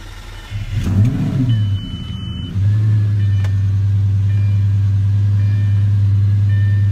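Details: Lamborghini previously running rough, after spark plug replacement: a couple of revs then a steady smooth low idle drone, no stumbles or misses; running cleanly.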